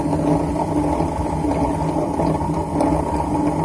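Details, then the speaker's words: Super General SGW16100 washing machine, about 2 years old, opened up and running: the motor turns but the drum won't. A loud, constant helicopter-like whirring drone with a faint hum repeating about every second; the drum bearing has failed, its balls all gone. "इसका तो बेरिंग पूरा निकल गया है। हाँ, जो बेरिंग में होता है ना ऐसा, जो बॉल्स वो सब निकल गया है, तो दिखाई दे रहा है पूरा।"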